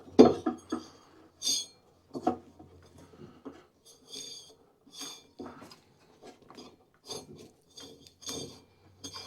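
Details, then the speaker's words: Craftsman Z530 zero-turn mower deck, spindle turned by hand with belt held aside: rough, gritty rasping in uneven bursts, worn spindle bearing noise. "Oh yeah, it's got a bunch of bearing noise. Trying to hold this belt out of the way. Hard to hold them out of the way, but it does have quite a bit of bearing noise in this one."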